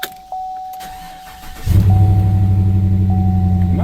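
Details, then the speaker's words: 2018 Chevy Silverado 6.2 V8 started after sitting since Friday, another shop claimed it needs an engine; uneven, stumbling idle with a flashing check engine light but no knock or tick, a plain misfire, cause not confirmed. "as quiet as a mouse. There is no noise to this other than a misfire and a flashing check engine light."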